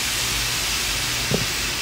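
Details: Radiator wall pipe behind an inaccessible grate in an NYC apartment hisses loudly and steadily with escaping steam, unbroken, all day and night in January — continuous steam hissing.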